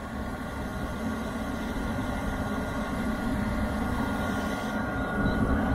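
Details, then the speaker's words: Diesel heater after cleaning the atomizer screen (owner first suspected soot): quiet steady fan whoosh and a soft, even combustion roar that builds, no popping or surging, quieter than before. "it's going full but that's that's normal that's supposed to be like that just not as loud as it was before"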